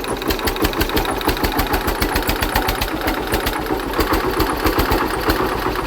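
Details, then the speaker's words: Hatz diesel engine converted to spark-ignition Otto cycle running on woodgas from a gasifier, under generator load: hard, uneven thumping with sharp edges on each firing stroke, sounds strained; owner suspects ignition advance too high, then retards it about 10°. "I think the ignition Advance is too too much let me uh ache that a bit"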